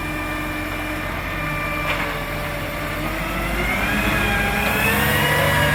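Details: Marion garbage truck SL01300 diesel after exhaust leak repair: rumbles evenly and builds smoothly with load, no ticking or puffing from the manifold; normal running.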